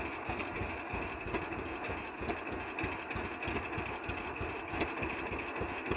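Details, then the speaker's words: 1948 John Deere B two-cylinder converted to propane, vaporizer heated by engine water, Mopar small-block electronic distributor for proper advance: slow, loping pop at idle, a little uneven but steady; runs normally, not perfect but good. "I wouldn't say it's perfect but it works good"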